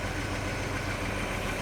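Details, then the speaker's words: 1941 Chevy on rebuilt Carter W-1 carburetor, cold engine, unknown last run; steady fairly even deep idle, snappy, no clear knock, heavy smoke of unknown cause: smoky idle. "But yeah, it's a little smoky, but actually sounds like it's running a little better than it was before. And she was cold, so I don't know what this thing's gonna do. That's pretty snappy. I don't know what all that smoke is about,"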